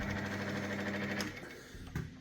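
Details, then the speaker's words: 1997 Myford VM-F milling machine running at speed one, belt setting unknown: a steady, even hum from the spindle at low speed, no knocks or rattles, then it winds down quietly; runs smoothly. "So, now this should work hopefully. Hey, so smooth. Just so that's speed one."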